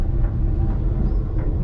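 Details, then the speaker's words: 1980 Chevy C70 truck, off road since 2005, towed behind a Ford on a hot day: heavy low droning roar rising with road speed, no rhythmic knock, worse when steering; front wheel bearing, not brakes. "update the roar gets worse whenever you turn the wheel so it's definitely a wheel bearing not a break"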